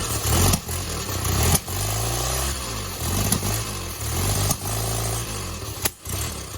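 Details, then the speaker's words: 1972 Fiat 850 Spider after timing adjustment: idle surges and dips roughly once a second with blips between; uneven idle, owner suspects carburetor needs more cleaning, maybe accelerator pump, or further carb adjustment. "That sounds a lot better, but I think I might need more of a carb cleaning. Maybe it's accelerator pump."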